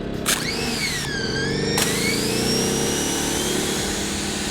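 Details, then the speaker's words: Generator-powered 1600 PSI, 1.2 GPM pressure washer fed from a 50-gallon tank, primed: steady pump drone under a loud, even spray hiss with no surging or pulsing; plenty of pressure for washing cars, normal. "as you can see guys, there's plenty of pressure there for cars."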